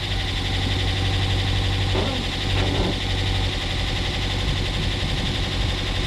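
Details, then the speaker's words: Dodge Challenger SRT8 engine idling after a new fuel pump relay got it started, some wire still inside, belt worn and due for replacement: steady, deep idle with even low rumble and no stumbling; running properly. "we got some wire still inside it but it's running"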